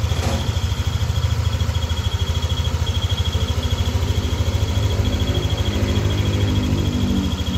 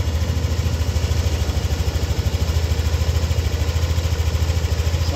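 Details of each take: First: Yamaha NMAX V2 at warm idle: an even thump with a thin, high, pulsing whistle over it. It appears only once the engine is hot and disappears when revved. This is the whistle at warm idle, from a failing bearing near the water pump and cam. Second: Warm Yamaha NMAX V2 scooter engine (four bars on the temperature gauge) idling with a steady, even low thump; heard from the side with no creak, rattle or whistle after the fix; normal healthy idle.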